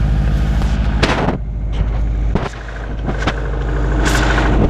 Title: Subaru Impreza WRX 2002 (US) Piston slap cold engine 2